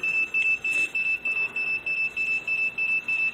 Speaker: go to manual pick any three and hit no goal and machine will start beeping crazy